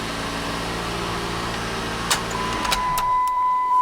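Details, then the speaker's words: 2009 Jeep Patriot, 2.4 L AWD, in for no-crank no-start, now starting after diagnosis with a wiring power fault still being chased: steady low idle hum with no misses or knocks, then a clear chime; engine running normally. "Oh, start and crank. Vehicle starts. It runs."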